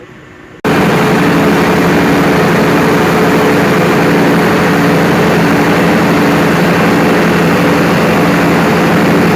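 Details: Perkins 4012 after general overhaul, started after pre-lubrication pump brought oil through the lines; catches just under a second in and settles into a smooth, constant roar with steady hum, running clean and even.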